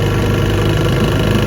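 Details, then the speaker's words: 1971 Johnson 6 hp outboard after light restoration, on-water test pushing a 40-foot boat about 10 mph: even, low burbling run holding constant pace without misses or clatter; smooth and healthy. "sunshine and 1971 6 horsepower just runs straight pushes my 40-foot feather crop about 10 miles an hour pretty awesome"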